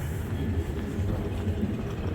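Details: 1993 Ford F-150 5.0 (302) with C6, new water temp sensor, fully up to temp after idling around 0 degrees: low, steady, even V8 rumble with no knocks or misses; smooth warm idle, no check engine light.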